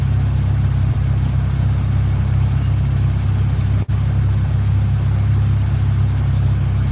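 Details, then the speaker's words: Honda GSR turbo under load, after earlier spark/coil issues: steady loud drone cuts out sharply as TPS rises and VTEC engages, like a dropped cylinder; VTEC stumble, cause unclear. "So we'll see if the VTEC issue's still there. TPS goes up, up, up. Hits VTEC, starts stumbling."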